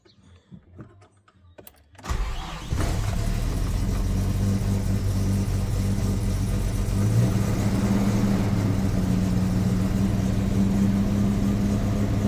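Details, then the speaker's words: Ford Maverick (GQ) after new spark plugs, 9mm leads, distributor cap and coil lead: cold start on choke, cranks, fires at about two seconds, then settles into a steady even fast idle with no misses or knocks. "Alright, so this is sort of how I have to start it up with the choke."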